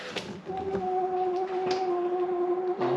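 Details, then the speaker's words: Diesel heater in a camper van blowing hot air again after possibly clearing an airlock; steady fan hum with a few sharp, irregular ticks as the fuel pump clicks. "yeah it's blowing hot air again bit like me really blows hot air now and again you can hear the pump"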